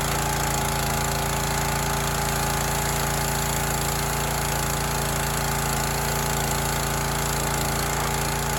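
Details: Teande 4200 psi pressure washer, Rato 209 cc Honda-clone single-cylinder engine, running with water connected after an obstruction near the flywheel was cleared and cleaned: steady, smooth, unbroken exhaust beat with no knocking or scraping; healthy running.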